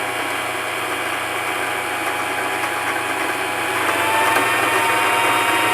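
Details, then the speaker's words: Singer Simple 3232 sewing machine bobbin winder: steady high-pitched whir with light ticking. Clicking and lagging on the turn as thread touches the rubber disc signals a full bobbin; normal winding. "so you'll actually hear it clicking a bit and it's gonna start like lagging on the turn and now you know your bobbin is full"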